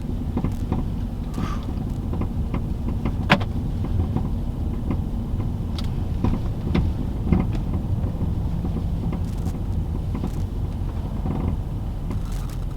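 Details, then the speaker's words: 2013-2020 Ford Fusion driving over bumps: road rumble with scattered sharp clunks from one rear corner; owner suspects the rear shock's bottom bushing rather than the top strut mount, not confirmed. "I'll try to go over some heavier bumps so that you can hear the noise. And I don't think it's the top of the strut mount. I think it's the bottom bushing that gave"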